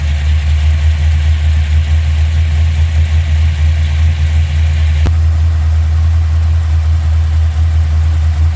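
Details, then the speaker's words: Holley-carbureted V8 in a Dodge Challenger at idle during tune-up, vacuum gauge on the full vacuum port. Deep, lumpy idle with a slow uneven pulse; mixture screws found about 3 turns out, judged very rich, and are being turned in 1/8–1/4 turns to lean it and raise vacuum. "In this case, I already know it's, in my opinion, too far out, so I'm gonna turn it in clockwise to lean it out a little bit and see if I can get more vacuum out of it."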